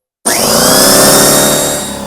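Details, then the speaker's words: Husky 33-gallon air compressor C331H after replacing faulty pressure switch that never shut off at max pressure: motor kicks in sharply, runs steadily without knocking, and now shuts off properly. Normal compressor run. "well there you saw it it's now shutting off fine where before it would just keep on running so cut off"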